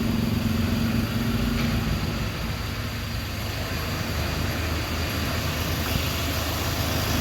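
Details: Hyundai Accent CRDi diesel idling after cranking no-start problem was solved: even idle with constant low drone and light clatter, no stumbling or speed swings; runs smoothly, normal.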